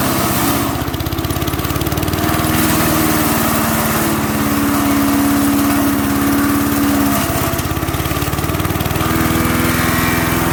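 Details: MTD 5 HP chipper/shredder, after carburetor kit repair, chipping branches: single-cylinder engine holds a steady, even beat without stumbling as branches are fed; runs smoothly and healthy under load.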